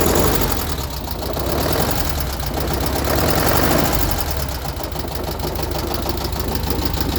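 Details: Freshly rebuilt VW Type 1 36HP air-cooled flat-four, under 100 miles, valves adjusted correctly, idling with a light steady tapping of about four per second. It persists with the fan belt off. Rod knock is feared; the owner hopes for a loose oil cooler rattling in the fan shroud.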